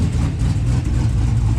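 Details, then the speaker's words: 1974 Chevy C10 with 5.3 LS swap, 78/75 turbo, aggressive cam, Holley Terminator X Max EFI, built 4L80: start in freezing cold, deep loping idle chopping from the cam, steady with no knocks; running well, fuel ratio a bit high. "it's just chopping. It's actually doing really well."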